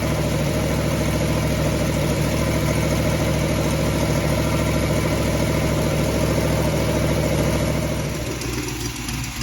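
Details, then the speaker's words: Ford 289 V8 in a Falcon at idle, no thermostat, after flushing rust from the cooling system for overheating, temperature around 150: rapid steady puffing tick keeping time with the lumpy idle, then easing off; leaking exhaust header. "Well, please overlook the header leak. That sounds horrible, doesn't it?"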